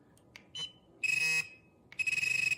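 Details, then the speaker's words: XP MI-6 metal detector pinpointer set via cold menu to pulse audio mode: a high, sharp tone chopped into quick bursts, roughly a dozen beeps a second, distinct from pitch mode; normal pulse tone. "Okay, 2 very different sounds. Vibration and pulse, not pitch, okay?"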